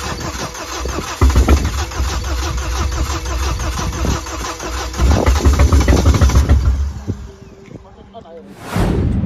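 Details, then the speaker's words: Car started after adding petrol: quick, even, stronger and faster cranking about three to four beats per second, then engine catches and runs briefly; healthy start. "as you can hear the crank sounds way more better stronger and faster compared to the crank of the startup sounded in the beginning of the videos"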